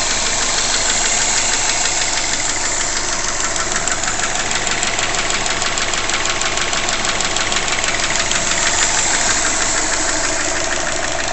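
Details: Subaru Legacy GT (2005) with forged Mahle 4032 pistons, idling at operating temperature in about 65°F ambient: a dull, even knock about three times a second from piston slap.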